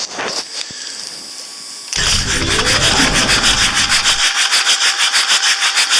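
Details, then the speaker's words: 1984/85 Marine Perkins 4.236 diesel, three months sunk in salt water, injectors out, water still inside; on starter, harsh raspy cranking about three beats per second, turns over roughly and laboriously. Rough cranking. "That's not the way it's supposed to be. But at least we're getting somewhere. It cranks over, goes well. Oh, not well, but cranks over at least."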